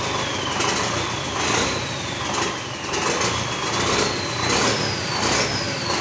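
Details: GAZ 3309 D-245 diesel after repair idling loud and steady with even clatter and a faint whistle over it; nothing knocks or misses, a normal, healthy idle.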